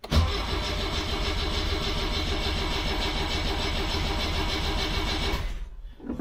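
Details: 1976 BMW 2002 E10 on a fresh battery after sitting about a month, started with foot on the brake: an even, rapid starter churning at about 3.5 beats a second with no firing. It cranks but doesn't catch yet.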